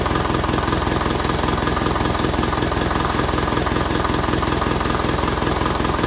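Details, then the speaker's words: 1955 Ferguson 20 TEF diesel tractor after fuel system work, well bled with no hesitancy or misfire; steady, even idle with regular firing beat, no rattles or vibrations; slight possible release bearing noise being watched. "Lovely. And there's no rattles or vibrations or that, and I'm very happy with it."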